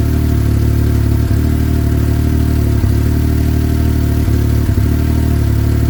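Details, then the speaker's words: Yamaha YXZ1000R, 1,300 miles, stock tune with lower fan activation temperatures: a steady drone broken by about four brief hiccups in six seconds. Intermittent performance issues. "So, I have 1300 miles on my YXZ right now, and I got to be honest, I haven't been in love with it. Um, it's had been having intermittent performance issues."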